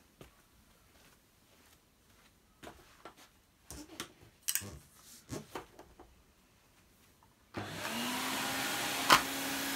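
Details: Electrolux 304 cylinder vacuum cleaner after cleanup, now with much more suction, switched on on the floor; after handling knocks the motor holds a steady, even hum with a smooth airflow rush, normal running.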